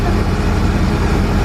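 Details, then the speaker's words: ProCharged LSX V8 Ford Falcon, first start after fresh wiring: smooth, steady low rumble with an even beat, no ticking or stumble, a clean healthy idle. "so smooth I bet it's got all about a battle of us into do yeah"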